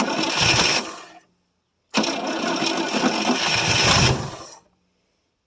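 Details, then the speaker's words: 1973 International 1210 3/4-ton with a 345 V8, two-barrel carb, sitting almost two years: two bursts of cranking with gas poured down the carb, dying away without catching; no power reaching the coil. "oh come on lost power and we may not have any juice going from this coil either"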